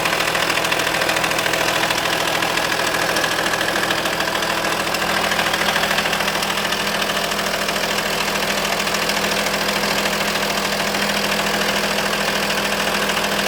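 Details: Audi A4 2.5 TDI at idle, glow plugs replaced, injectors OK: steady idle with light repeating tick about three per second over even hum from driver's side; owner suspects accessory belt but unsure; unexplained idle noise.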